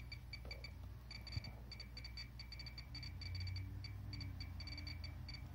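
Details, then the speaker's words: Pripyat RKS-20.03 dosimeter with beta filter installed, held near a gamma source: sharp irregular Geiger clicks over low room hum, coming quicker as readings rise; counter responding normally. "Это чистую гамму считает прибор. Показания растут. Щелчки. Отчетливо слышно. Все отлично."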